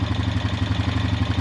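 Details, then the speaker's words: Honda Rancher EFI (TRX420) after O2 sensor replacement for DTC 23, in neutral: even, quick single-cylinder beats at steady idle with no hunting or surging; previously surged and revved erratically, no check engine light. "Oh wow, you can already tell it's running 100% better. So it was surging and revving up and acting crazy before."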